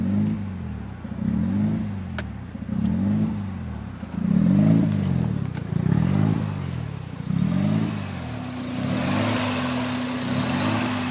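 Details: 1993 RHD Mazda RX7 rotary with newly installed Power FC ECU (wires not cut): idle surges and sags under a second apart with a lumpy rhythm; rough idle, cause not yet found.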